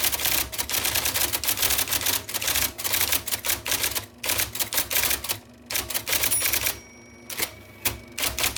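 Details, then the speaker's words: 1979 IBM Selectric II (non-correcting) typewriter, revived after fixing miswired plug, cleaning and lubrication: crisp, definite keystrokes clatter in steady bursts with short pauses. Normal operation. "all right there is such a wonderful tactile experience from this typewriter I love that noise it's it's very definite it tells you in no uncertain terms I am typing letters for you"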